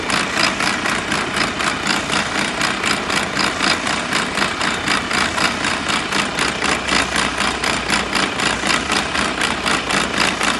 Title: Abnormal sound from gearbox MP4 Mercedes Benz AROCS PART 1